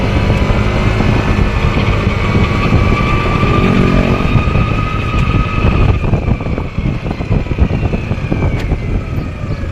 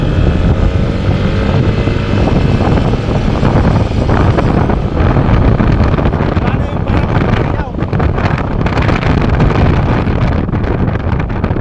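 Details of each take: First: Yamaha NMAX scooter while riding: a loud airplane-like whine over the engine, pitch following road speed. It starts around 20 km/h and fades by 40–50 km/h. Transmission gear whine; the primary driving gear is to be replaced. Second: Yamaha NMAX scooter road test after replacing the primary driving gear and bearing: riding through traffic with heavy wind rush, no whine rising as speed builds past 20 kph, where a loud transmission noise previously appeared; the noise is gone.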